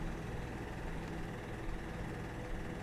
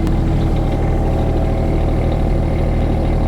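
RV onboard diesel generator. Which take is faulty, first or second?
first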